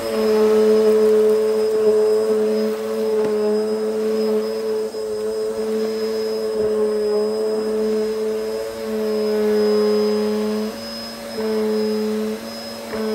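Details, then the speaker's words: Hoover Hurricane 2000 watt bagless Pets upright vacuum on carpet: strong, steady motor whine of even pitch, dipping slightly as it is pushed over the carpet; brush bar working the pile, powerful suction, normal operation. "You can hear the brush bar panning the carpet. It's done a really good job at revitalizing the pile as well."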